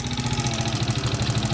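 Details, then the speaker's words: Small single-cylinder mini ATV engine at idle with an even, rapid knock on every beat, heard coming from the lower part of the motor; bottom-end cause suspected, not confirmed, and it still runs. "and it's coming from a lower part of the motor"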